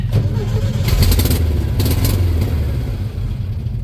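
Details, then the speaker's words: Old VW Beetle with remanufactured crate engine, ignition and carburetor; customer reports it runs then bogs and dies. On starting fluid it catches briefly with rough, uneven firing then dies; fuel line or pump fault suspected, ignition doubted. "I'm gonna put some fire juice in her and see what happens. That's a little something to make it jump and spark and bang. Oh, she tried."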